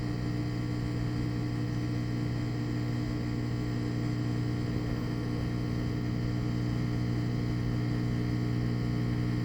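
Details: Washing machine drain pump after replacement (a safety pin had wedged in the old pump, rusting it and stopping the drain): a steady low hum with an even whir and no grinding, moving the water quickly; normal operation.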